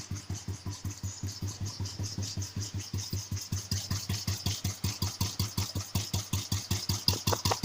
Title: Royal Enfield cast iron 350 ..piston knocking sound ?